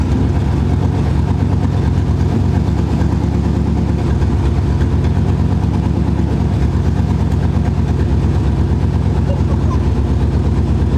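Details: C4 Corvette V8 with mufflers removed, running through catalytic converters only: deep, steady idle burble with even low pulses and no misfire; sounds healthy.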